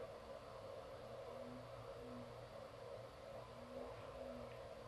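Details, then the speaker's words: Creality Ender 2 3D printer with the power supply plugged in but the machine switched off. Constant airy whir with a faint warble and steady speed from the power supply fan. The power supply is loud and should be replaced. "machines off the machine is not even on so that you'll be hearing that fan whirring whirling around with the Machine off"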